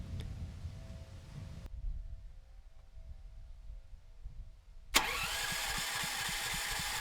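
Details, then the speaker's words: Rebuilt Champion 458cc engine on dual-fuel generator, test carb, running on propane: catches and settles into quick even beat with steady exhaust; clean start, running smoother than on gasoline. "and no issues getting the engine started on propane and it actually sounds like it's running quite a bit smoother as well"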